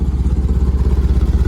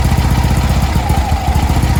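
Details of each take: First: VW bus with Pertronix ignition, after reinstalling the distributor, warm after a 6-mile round trip: an even low putter settling smoothly to a good idle with no misses. Normal idle. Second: 1965 VW Beetle with Pertronix electronic ignition: idle chuffs unevenly, beat hesitating and dropping instead of ticking over steadily; Pertronix failing again despite an earlier clamp fix, owner swapping back to the old ignition. Unstable stumbling idle, cause suspected.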